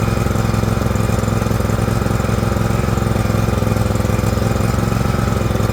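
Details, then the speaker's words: John Deere LX178 with a liquid-cooled Kawasaki twin, run on a rainy day: steady, lumpy, heavy-rich chug while the carburetor floods and pours fuel onto the muffler. It had quit when slowed down. Carburetor flooding. "all right it runs the engine's great it's flooding over something terrible actually leaking fuel right out onto the muffler"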